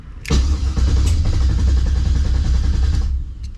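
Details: 1970 Monte Carlo LS swap, ACES Jackpot LS EFI initial startup, while the system creates its map tune. About three seconds of steady cranking with an even, quick compression beat; never fires. Owner notes heavily modified engines start harder.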